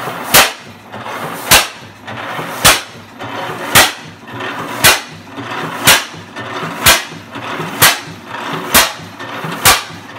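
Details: 12hp 1913 Fairbanks Morse NB stationary engine, acquired and torn down in 1976, at its first start in 42 years after restoration: sharp, evenly spaced firing bangs about once a second with quiet coasting between; running normally.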